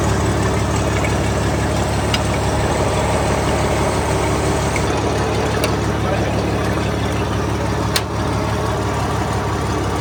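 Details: Old Case tractor after fixing a no-run caused by moisture in its very old distributor (dried out, points filed; coils changed): steady, even idle with deep regular beat on all cylinders, no misses or stumbles; running cleanly.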